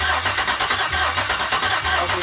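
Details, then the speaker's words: Newly swapped Gen V L86 6.2L V8 on an engine stand at its first start, with a new harness and fuel system: steady cranking with even compression pulses but no firing, because no gas was in the tank yet. "just needs a little gas up oh i haven't put gas in it yet"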